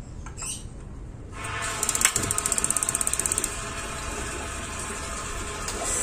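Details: Gas water heater whose flame lights only briefly: rapid run of sharp igniter clicks, about a dozen a second, then a soft hiss that dies away as the flame fails to hold; suspected microswitch, flame sensor or gas supply fault, unconfirmed.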